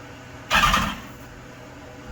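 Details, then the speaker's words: 2015 BMW S1000RR after an engine swap, first start attempt: brief burst of starter cranking without catching, clicked a few times to circulate oil; won't fire until the cleaning foam clears out. "it's not going to start right away because of all that power foam remember the the power foam has got to clear out"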